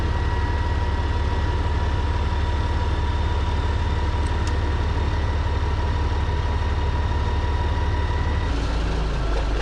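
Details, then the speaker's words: CAT 3406B diesel in a K100 cabover Kenworth, after rebuilt injection pump: deep, regular idle about three pulses a second with no misses or stumbles; fix seemed to work, timing may still be adjusted. "okay so that seemed to fix it um we might play a little bit with timing yet"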